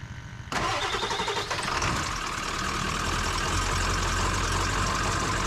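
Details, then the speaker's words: 7.3 Powerstroke diesel Ford Super Duty just after replacing the ICP sensor and IPR valve: uneven, lumpy diesel idle, running rough, most likely from air in the high-pressure oil system. "here's how it's kind of running a little bit rough it's most likely because there's uh there's a lot of air in that high pressure foreign"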